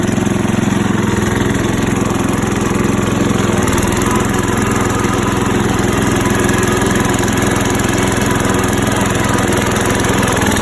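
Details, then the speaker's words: Rebuilt small single-cylinder engine with new muffler and Lucas oil treatment added: steady run with light regular tapping about three to four a second over the exhaust note; mild knock remaining, tamed since the first start after rebuild. "I got a new muffler on here, and this engine's still got a little bit of a knocking noise, but it seems to have tamed down a little bit since the initial start after rebuilding."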